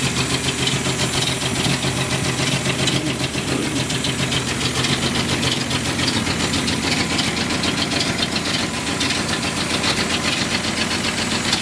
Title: 1976 Datsun 280z rough idle